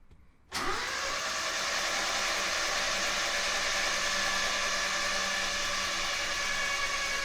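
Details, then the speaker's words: 1976 RA23 Toyota Celica engine, rebuilt then stored for years, cranked with the plugs out to build oil pressure: it spins freely at an even, quick pace (about 3.5 turns a second) with no binding; the oil light goes off, so cranking is healthy. "Okay, that's a very good sign. Oil light's gone off and it's come back on obviously as the oil drains away from it, but that signifies to me that when I try and start this car that the oil pump will create enough oil pressure."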